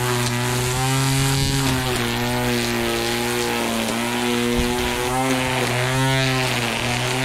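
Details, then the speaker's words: Ryobi One+ 18V cordless 25cm grass trimmer while cutting: the line has come off again, a repeated fault. The steady high motor whine jumps up in pitch as the load drops, over-revving. "So, as you can hear, what's just happened is that the strimmer line's come off. That's the only telltale about it, is that the note changes."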